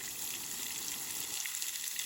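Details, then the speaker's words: New electric off-grid well pump, replacing an inconsistent gas pump, running on an extension cord at first start: steady hiss of rushing water with no knocking or surging, delivering lots of pressure; works normally. "She worked. It's awesome. Well, let's just string up the hose. Lots of pressure."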